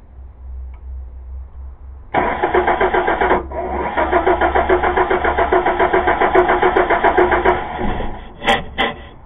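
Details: 2000 Chevy Blazer: steady starter cranking at about three and a half turns a second, engine never catches; crank-no-start caused by a bad distributor cap.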